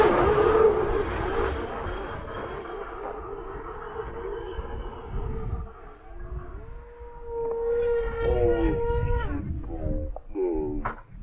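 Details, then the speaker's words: Titan Dynamics Tornado V2 twin-motor RC plane, iFlight XING 2806.5 1300Kv motors, T-motor F35A ESCs, throttle capped 85%: whine climbs as autopilot spools up, then breaks up in surges while log shows high throttle; motor stutter, electronics suspected. "the issue started the moment the autopilot throttled up, and then it sounds like it throttled down, but in fact the log shows it kept the throttle high for both motors, but the plane was barely managing to stay in the air."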